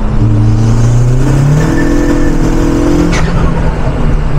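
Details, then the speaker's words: In 4th gear at full throttle after a new fuel pump fixed very low fuel pressure: engine note climbs quickly while road speed lags; clutch still slips at the start of 4th. "Et le début de la 4 il patine encore."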